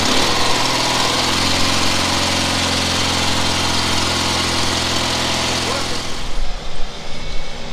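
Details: Cub Cadet 2072 garden tractor, revived with a charged battery: steady, even low engine drone with a smooth beat and no misses, then it winds down near the end; runs healthy.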